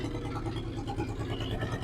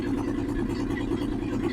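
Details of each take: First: 1963 Ford F100 unibody, Y-block V8, three-speed, idling after 20+ years off the road: low even rumble, has oil pressure, no valve train noise at all, quiet as a church mouse apart from exhaust clunk; normal idle. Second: 1963 Ford F100 unibody short bed, Y-block V8, three-speed, first run after 20+ years off the road: quick regular light clunks in time with idle; exhaust pipe cut off on passenger side tapping the crossmember, engine otherwise quiet.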